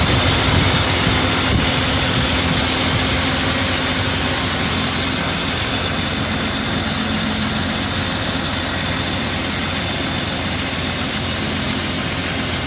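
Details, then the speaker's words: BMW E34 M50 at warm idle after an oil change to Castrol 5W-40, positive air temperature: smooth, even idle with steady rush and no top-end ticking; hydraulic lifters quiet, cold-morning start still to be checked. "как вы слышали компенсаторы не стучат но это еще надо утром на холодный проверить"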